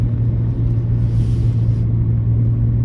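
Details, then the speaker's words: Old car cruising with a deep steady hum at one low pitch under road rumble; driver suspects a wheel bearing, not confirmed. "I don't know if you can hear that humming, that's a wheel bearing or something."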